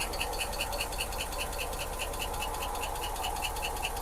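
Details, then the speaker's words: 1986 Ford F150 that sat for years, finally running at low idle: quick regular light ticking about five a second over soft idle; valve train clank from the top end; oil pressure then confirmed on gauge. "Got a little clank to it in the valve train, but let me see if we got oil pressure."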